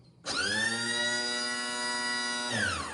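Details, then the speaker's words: 2012 Lancair Legacy aircraft, electric hydraulic gear pump switched on with the dump valve open: steady, even high whine with no strain or pitch drop, pump running with no load. "You can just hear that the pump is running with no load."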